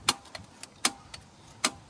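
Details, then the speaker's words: 1983 Honda 185S carburetor, engine not running: crisp light clicks, about two a second, as the float needle reseats. It was stuck until starter fluid was sprayed in and now works normally. "this was stuck until we sprayed starter fluid in there, And now it's. and now it's fine, and it's clearly working. You can hear it reseating in the bottom of this carburetor."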